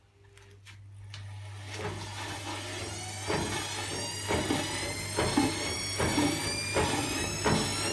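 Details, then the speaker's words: Nidec washing machine motor (rated to 15,000 rpm) fitted to Candy Grand'O Vita GVC D91 tumble dryer, run up on a variac: rising whine with a rough clunk about once a second as the drive belt jumps across the pulley; owner suspects wrong motor angle. "so what happened there well you heard the noise change the motor belt the belt jumped from over here to over here so i think i have this at the wrong angle or something"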